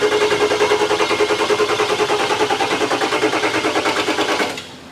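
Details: Ford Excursion 7.3 Powerstroke diesel after a 500 hp build (hybrid injectors, dual fuel pumps, bigger turbo) on its fifth start attempt. Steady, rapid starter chugging at about three per second that never catches, then cuts off. Crank no-start during high-pressure oil priming.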